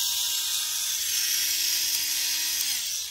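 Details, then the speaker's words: Tamiya Mini 4WD MS/MA chassis with the m4dtang floating gear, transmission ungreased: a high, even motor whine dropping as it slows, with no grinding or rattle. The gears mesh cleanly. "again, it might sound a little bit weird. I told you guys I didn't put any grease on the transmission system."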